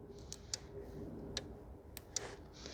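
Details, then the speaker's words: 2014 VW Tiguan 2.0 TSI with ignition off: faint sharp ticks, some in quick pairs, from a relay cycling on and off, suspected cause of a parasitic battery drain of about 2.4–2.5 A. "I don't know if you guys can hear that but the relay is clicking on and off I can feel it"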